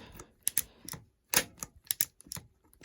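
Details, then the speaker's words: Shimano Dura-Ace 7800 10-speed road shifter that was stuck, now lubed with the bike held upside down. Crisp, sharp ratchet clicks in short bursts, each engaging cleanly on almost every click. Shifter ratchet now clicking normally. "So now we're down to every other. So that's a good thing. You can hear it now working on just about every single So we want to make sure that"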